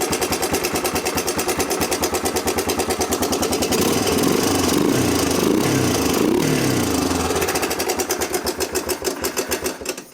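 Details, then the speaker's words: 1987 Honda TRX250 Fourtrax ATV, sat for years, first start after fuel line work: the single cylinder idles fast with a hard metallic clatter over the exhaust beat, swelling with revs. It sounds very metallic; top-end rattle with high idle, cause unknown. "It's very metallic sounding. I'm not gonna lie. Not sure if that's how they normally sound, but it's."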